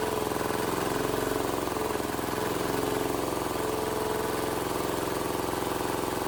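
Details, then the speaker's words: Cheap Chinese small diesel newly swapped into a Wheel Horse 314H tractor runs with an even clatter at about three pulses a second, no misses or knocks, after a no-start issue was diagnosed. "I I hell yeah man has this thing been a struggle I'm so glad to hear that thing run"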